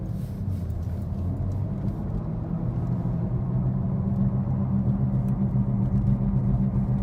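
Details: 2013 Ford Focus at road speed, heard in cabin: deep constant droning rumble; cause confirmed as bad left-front wheel bearing, replaced by dealer.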